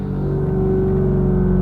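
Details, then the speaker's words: Tesla Model 3 with Universal Air Solution Series 2 struts and Accuair Endo VT E-Level management, after airing up to ride height: steady, even hum of the two compressors refilling the air tank; normal operation. "I'm sure you guys can hear that humming noise what that humming noise is is the two compressors that are filling the tank with air"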